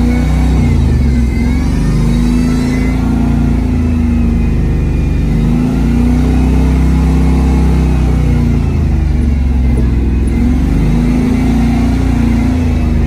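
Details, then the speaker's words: Chevy Nova automatic transmission, driving to the transmission shop: deep engine drone that flares in revs without matching pull; slipping badly, owner suspects the output sensor or reluctor ring after the rebuild. "you hear it don't you bad looking bad yeah you heard it yeah slipping real bad"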